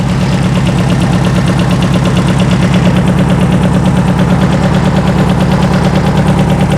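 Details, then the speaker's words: Circa-1970 sand rail, 2.2L engine with dual 44 IDF carburettors, revived after sitting: loud, rapid, uneven chugging with pops, speeding up once the distributor cap is fitted. Rough running, one carb barrel way off; bad valves suspected. "let's try this now I hear a barrel kicking in hey you can hear the engine speeding up"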